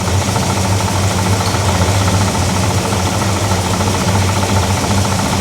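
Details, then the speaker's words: Big-block Chevy V8 in a Pontiac, new alternator just fitted: steady metallic rattle over a lumpy idle, present only with the accessory belt on, absent with belt off; water pump or fan suspected, accessory drive rattle. "It's got like that rattling noise, which it definitely didn't do when the belt was off. So, that's a weird one."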